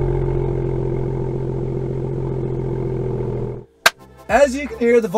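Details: BMW M2 (N55) with M Performance exhaust at cold-start idle, after wrapping the tips in aluminum tape: deep, steady drone with no buzzing or rattle from the tips; the cold-start vibration is gone.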